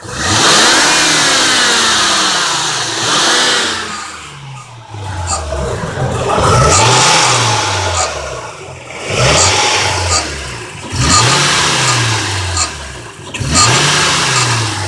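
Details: 2003 Honda Accord 3.0L V6 6-speed manual revving hard, bright bell-like metallic rattle like an old alarm clock, worst in low gears on engine braking, loudest passenger side bottom of bay; heat shields mostly ruled out, owner suspects belt tensioner or A/C compressor, never found.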